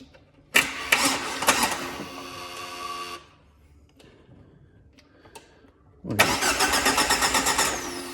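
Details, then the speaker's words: 2005 Jeep Wrangler no-crank no-start, starter relay jumped from battery B to terminal S: strong even cranking in two bursts, proving battery power and engine ground good; normal cranking, voltage later found dropping on the control side. "and as you can see it cranks over just fine and what did that quick test just prove it proved that our battery power is good and our engine ground is good"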